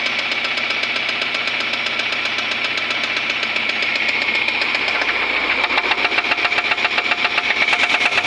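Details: Suzuki Grand Vitara engine with a loud, hard knock about four per second, hammering and growing louder toward the end. The cause is not stated.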